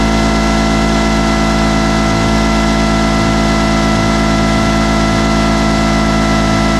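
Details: Two-stroke 8V71 Detroit Diesel V8 from an old tour bus, fuel racks tied at full fuel, screaming flat out at a constant very high speed in deliberate runaway with no throttle control; a water hose is to be fed into the blower.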